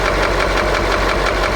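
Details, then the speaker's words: KamAZ YaMZ-238 diesel at rough idle with fast, even knocking. Listening at the injector lines, the fifth knocks slightly and the seventh seems not to pulse at all; cylinder unconfirmed, injector removal and compression test planned. "вот это немножко стучит это тоже Пятая немножко Седьмая вообще как будто нету"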